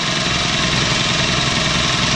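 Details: Replacement used air compressor pump just swapped in after old pump self-destructed: dense, steady mechanical chatter with bright hiss, no knocking or grinding; check valve holding, building pressure normally.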